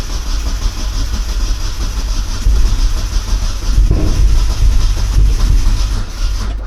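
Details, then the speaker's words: Turbo Miata that had sat unused for a while, cold start: a slow, labouring crank that drags at one heavy spot each turn and won't catch; the owner suspects it is loading up with too much fuel. Finding: hard cranking with heavy spot, no start. "Yeah, it almost acts like it's getting too much fuel cuz it hits that hard spot. Give a little throttle. That poor starter."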